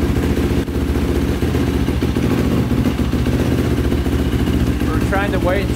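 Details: 2005 Yamaha YFZ450 big-bore single after rebuild, carburetor refitted with fuel screw two turns out (owner suspects a clogged pilot jet): holds a steady, even idle with no hunting or stalling as before; pipe turning red, owner unsure if normal.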